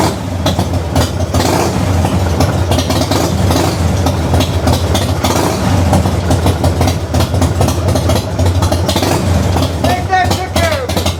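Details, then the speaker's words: 1994 Harley-Davidson FLSTN Heritage Softail started after a loose compensator nut was fixed, compensator torqued to about 150 ft-lb with red Loctite, new stator and rotor fitted; loud, even, lumpy V-twin idle with no primary-side knock or clatter. "see if I can still hear that noise and I don't hear the noise I'll say it's a big success let's see how it goes"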